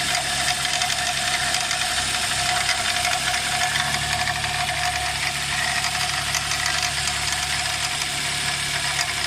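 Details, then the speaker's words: Nissan X-Trail at idle: steady high squeal over a light metallic rattle, thought to come from an engine pulley. Worn drive-belt tensioner, replaced. "all right guys uh this Nissan x-trail the engine is squeaking fully I think from the fully engine pulley if something is squeaking"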